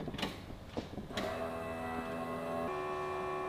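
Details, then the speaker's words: Datsun 280Z with a fully built L28 engine on carbs, fresh gas and tank, not moved in five years. Ignition on without cranking to check the fuel pressure regulator: a few clicks, then a steady faint electric hum as the fuel pump primes normally. "like don't crank it just turn the fuel pressure okay you'll hear"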